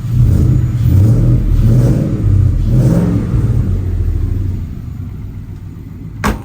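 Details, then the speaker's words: 1971 Ford F100 XLT Ranger with 6R80 transmission, after torque converter repair, still warming up, MagnaFlow X-pipe exhaust: engine blips up and settles cleanly a few times, smooth deep exhaust, no ticking; the ticking noise is fixed. "Well, I have to say that definitely fixed my problem with the ticking noise."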